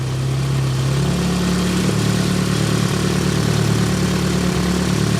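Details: Nissan 200SX S12 dual-coil engine idling on exhaust-side coil only: smooth even idle with slight early dip, no stumbles or misses; steady idle.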